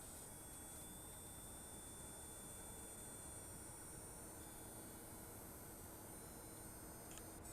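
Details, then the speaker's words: Coil whine from an ASUS Dual RX 6750 XT graphics card under heavy load running a benchmark, microphone moved close: a faint thin high-pitched whine above steady fan hiss, seemingly from the card's centre. "All right. Yeah. So, that is coil wind."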